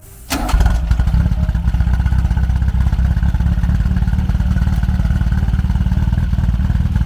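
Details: 1972 Super Beetle air-cooled engine, swapped unknown-size motor, possibly with a big cam: quick crank, then it catches and settles into a steady but slightly lumpy idle; diagnosed with worn ignition points and bad plugs.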